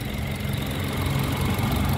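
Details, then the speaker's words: 2012 Toyota Kijang Innova G Luxury, 2.0L (2000cc) 1TR petrol engine at idle: low, even, quiet hum like a sewing machine, no knocks, ticks or wavering, dry engine with no seepage; healthy normal idle. "Nah untuk mesinnya bensin 2000cc teman-teman kode mesinnya 1tr suaranya nyaris tak terdengar ini masih alus banget teman-teman kayak suara Cuman suara mesin-mesin jahit ya"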